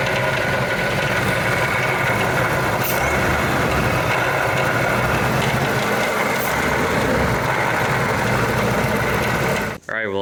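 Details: 2001+ Ford SVT Lightning with a rebuilt Eaton supercharger, installed the previous summer, that developed a noise over July–October; loud rough roar with a gravelly uneven rasp; failing supercharger, cause unconfirmed, to be replaced.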